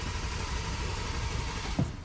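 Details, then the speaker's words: 2023 BMW M4 after rebuild and ECU installation: starter spins the engine at an even pace but it never catches; crank, no start; owner suspects a weak battery, cause unconfirmed. "huh it won't start but hey at least it at least it turns over so that means this is the right ECU which is nice but I wonder why it won't start maybe this battery is just dead"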